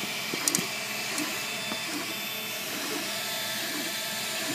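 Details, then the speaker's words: MakerBot Replicator 2 3D printer while printing: steady hiss with sharp clicks and squeaks about once a second, coming from the side opposite the motors; clicking and squeaking during printing. "It seems to be coming from this side, the opposite side of the motors, which are over here. Here I'm getting a little squeak there too. Definitely coming from this side."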